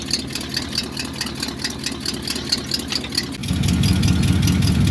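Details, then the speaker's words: 1970 Cadillac Eldorado V8 idling after the rusted-out passenger-side exhaust elbow was replaced. Sharp puffing ticks about four a second reveal a small leak remaining at the clamped joint where the pipe reduces down. "right so we're doing a lot better than we were but I've still got a little leak"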